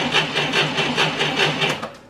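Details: 1990 Ford Thunderbird Super Coupe, stored four years, cranking on a new battery during a current-draw test with a Snap-on amp meter: brisk, even cranking at about five compression pulses a second, then starter stops; healthy cranking speed.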